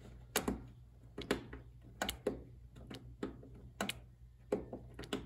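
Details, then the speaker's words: Craftsman DLS3500 mower, 20 hp Briggs single, key on after lubing sticky carburetor fuel solenoid: crisp clicks, often in quick pairs, about once a second in a quiet room; solenoid now snaps in and out cleanly; old fuel. "it now works as it should could it be this simple could it be just as simple as a stuck fuel solenoid"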